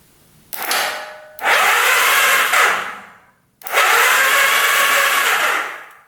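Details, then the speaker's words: 1991 Kawasaki Vulcan 1200, long dead, on a jumper pack with the solenoid terminals crossed: two long, sluggish starter spins with no firing. Starter works but very slowly; solenoid suspected of not getting enough power. Slow cranking. "Alright, so that's working. You can hear the starter go. It's very slow. We can hear that go. So the starter is working, it's just the solenoid not working."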